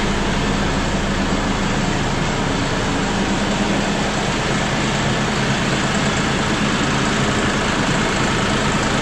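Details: John Deere 5067E/5045E diesel tractor right after fuel filter change and air bleeding: steady, even clatter with constant low hum, no stumbling or misses; normal idle.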